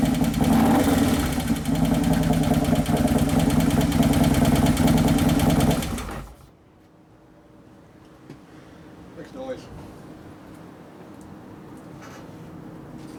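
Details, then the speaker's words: 2011 Harley-Davidson Road Glide FLT Twin Cam V-twin after motor/primary repair, first heat cycle: idles about six seconds with lumpy, slightly uneven beat then shuts off; sounds lean at idle, cause unconfirmed. "sounds like it's kind of lean it's as possible for the computer to be lean like that"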